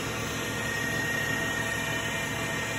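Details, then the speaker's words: 2012 Tormach Series 110 CNC mill, spindle just switched on and ramping up, oiler being pressed: steady even hum with constant high tone near 2 kHz, no knocks or grinding; normal spindle running. "So you come over here, you turn the spindle on, power on, and then with that, let's see, start it. You can see the spindle spinning now, hear it."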